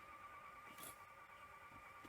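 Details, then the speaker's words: 1982 Toshiba V9600 Betamax VCR, long stored, after adjustment: faint steady whirring hum in fast forward but the reels don't spin up, as the idler seems stuck and not driving them. "But I don't seem to be getting any idler action. Oh, I can hear it going, but it seems to be maybe stuck."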